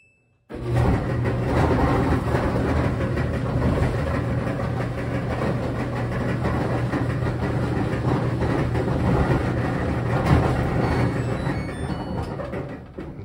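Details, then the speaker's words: Samsung dryer (model DV42H5200EP/A, last digit unclear): loud continuous low rumble and drone from drum start; seized drum roller or worn idler pulley suspected, rollers, idler and belt to be replaced. "that sounds like a roller uh probably Frozen up or the idler pulley worn out but either way we're going to be replacing everything that pretty much rolls"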